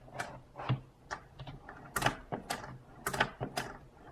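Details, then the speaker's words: Saitek Cessna flight yoke: irregular sharp plastic clicks, one or two a second, when the yoke is twisted counterclockwise; there is no noise clockwise or on push/pull. A second unit clicks clockwise instead. Cause unclear. "counter clockwise you will hear a noise but if I'm going back no noise at all"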